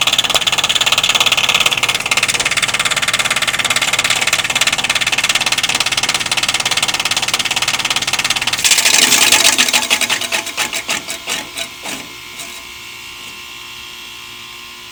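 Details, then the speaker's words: Heat pump outdoor unit with loud fast knocking about three times a second over a harsh hiss, slowing and fading as it winds down; owner was told the defrost causes it and finds it abnormal, cause unconfirmed. "this noise is so annoying we have to listen to this day in and day out and I'm told that this is the defer that's making this noise on this machine no one in my my neighborhood machine makes noise like this but mine"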